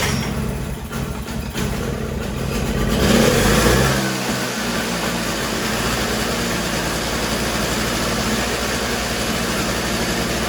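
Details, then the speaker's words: Toro CCR3000GTS single-stage snowblower, 5hp Suzuki two-stroke, being run dry of carburetor fuel for summer storage after choke, ignition and prime: catches after a couple of pulls, steady even buzz with no misses; runs healthy. "Okay, so now we want to start it up to get the remainder of the fuel that's in the carburetor out by running it through the engine."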